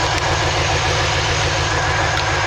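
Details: 2003 Chevy Silverado with 6.0 V8, check engine light, code P0300 random misfire. Idling with a lumpy, uneven low beat while coils are unplugged one at a time; the stumble helps find the misfiring cylinder.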